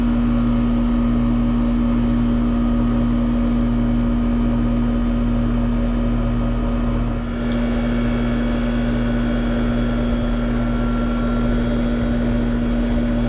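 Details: Trane condenser fan motor, newly replaced, running: a steady, smooth low hum holding one pitch with no rubbing, ticking or wobble. The condenser fan runs normally.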